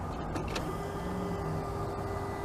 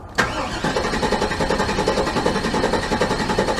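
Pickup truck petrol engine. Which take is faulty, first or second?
second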